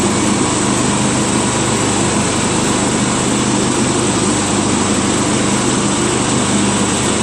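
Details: Craftsman LT1000 lawn tractor with the deck reinstalled, spindles greased, blades sharpened and a new drive belt: steady loud drone with an even hum and blade whoosh, no knocks, slips or squeals; normal running.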